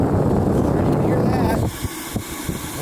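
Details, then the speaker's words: 1956 Chevrolet heater box blower motor, a spare motor bench-tested before installation: steady, even whirr runs smoothly for about a second and a half, then cuts out; the motor spins freely and works well. "working really well so the motor works awesome"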